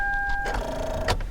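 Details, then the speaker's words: V6 car with battery drained from 12.59 V to 11.64 V: steady dash chime, then weak buzzing and a click as the key turns, engine never turns over; no-start from flat battery, before jump-starting with a portable jump starter. "I'm going to try to start the car and see if the car will start at this voltage level so I'm gonna crank the key to see if it's starting nope you see that you hear that I can't start the"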